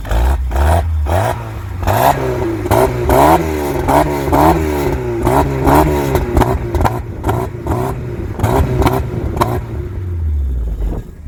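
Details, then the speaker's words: VW Mk3 Jetta CLi 2.0 8v with old exhaust (Cowley rear muffler and Tuffex resonator), repeated revs: hollow tinny can-like drone over the engine note, caused by the Tuffex resonator, later replaced with a stainless system; exhaust resonator drone. "Ek het nie daai tyd geweet dat die tuffex resonator die probleem was Dit het so 'n hol blik klank gegee"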